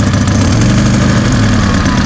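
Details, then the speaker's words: Car just reassembled with a new cylinder head and a split cam gear set by dial indicator, first drive in three months. Loud, raspy idle with sharp puffing on each firing pulse, clearly not from the muffler. Exhaust manifold leak, gasket suspected. "это не нормальный кэш как-то на сечет что ли эта туша прокладка коллектора"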